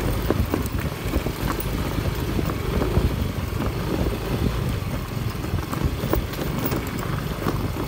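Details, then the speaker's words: Yamaha Mio i125 scooter after fixing a knocking rattle from a part hitting the metal frame on rough roads: steady low engine and road rumble with no knock or rattle; vibration noise gone, fix effective. "Nawala yung ingay niya mga megs. Effective. Kasi dati kapag pinapanda natin kasi nagva-vibrate siya."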